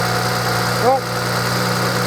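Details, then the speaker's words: 2007 BMW E91 335i running at a smooth, steady low idle with an even tone, no knocks or stumbles, just after the failed starter motor was refurbished and refitted; engine runs normally. "let's get this run for a couple of minutes and then we'll uh finish building it"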